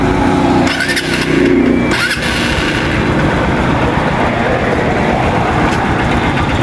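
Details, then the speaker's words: Honda TMX Supremo single-cylinder after cam chain tensioner replacement: after a brief start it settles into a smooth, even idle with no ticking or knocking; the earlier cold tick is gone and the engine sounds healthy. "Tanggal lang ingay. Ay, ito na eh. Okay, kalaste yan na yan."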